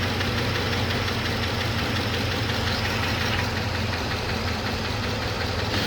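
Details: 2007 Trailblazer LT V8, 119,000 miles, idling after a motor flush failed to cure it: fast, light ticking riding on top of the idle and keeping time with the engine, from a collapsed lifter roller hitting the cam; DOD eliminator kit ordered.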